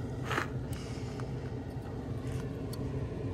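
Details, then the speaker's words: Older 2017 Heatmaster G100s outdoor wood boiler draft fan, run in cold-start mode after fan cleanout and creosote scraping. Steady low fan hum with an even whoosh of air and no rattles or scraping. It is running normally. "She looks like she's running pretty good."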